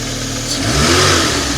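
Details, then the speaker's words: MK2 Golf GTI with intermittent idle problem, after checking the idle stabilizer valve wiring: even, steady note with no lumps or misses, idling about 1,000 rpm; normal idle, though the valve buzzing returns later. "That seems to be idling nice and smooth."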